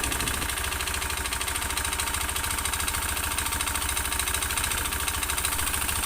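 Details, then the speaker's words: Honda Beat FI scooter with often-late oil changes, cam chain tensioner tightened yet noise unchanged; rough, rattly knock about three beats a second over idle, steady throughout, piston slap from a scored piston. "nah ini mesin saya coba bunyikan dan saya Kencangkan juga suaranya masih utuh berarti fix di bagian piston yang bermasalah"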